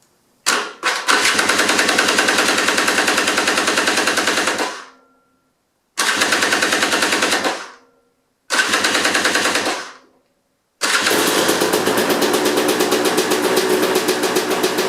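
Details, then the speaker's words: KTM XC/XCW with an upgraded starter and KTM bendix gear set, after the slow-crank repair, cranked for a few seconds with the kill switch held and the battery possibly low: a steady, even starter whir, slightly slow but clean, normal cranking. "Alright, so it looks like my engine is now cranking over. I'm going to hold the kill switch down, just crank it for a few seconds."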